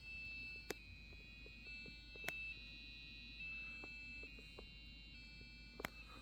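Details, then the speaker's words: Custom Athlon 2600+ desktop, MSI board: after a normal short POST beep, booting Windows XP it fails with a high steady electronic alarm tone in repeated stretches and clicks; later suspected overheat failure. "Or do we have something different booting here? Interesting. Seems like a catastrophic failure of some kind."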